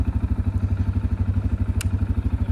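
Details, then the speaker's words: CFMoto CF 625 ATV at 1,949 km, over 100 hours, before 2,000 km service; single-cylinder idles evenly, steady low thump about nine pulses a second, no odd noises now; owner reports occasional noise at idle when cold. "yani şu an hiçbir problemi yok ama bazen soğukken böyle bir şey yapıyor"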